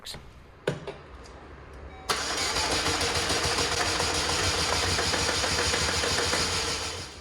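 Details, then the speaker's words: 2004 Chevy Malibu Classic petrol engine after ATF flush, attempt with old timing chain tensioner reinstalled at different setting: starter spins fast and even, sounds free spinning, never catches. Crank no start from jumped timing chain. "i don't know what try this is that's not good that's like something's free spinning oh boy come on"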